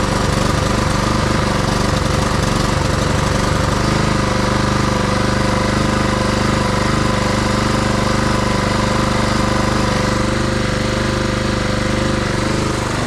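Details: Husqvarna push mower, Honda GCV160 engine, after tune-up, cleaned carb, new back plate and air filter, previously surging lean with choke open: started on choke, fires ragged a few seconds then settles into a steady, even run without surging.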